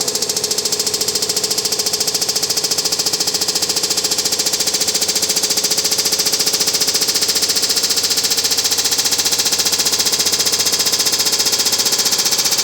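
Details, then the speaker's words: Samsung WD106 washer-dryer spinning at about 100 RPM, with all parts replaced new: hard, regular knocking near four per second, as if the drum strikes something inside. Cause not yet found. "Então, o barulho é esse aí. Parece que o tambor bate em alguma coisa lá dentro."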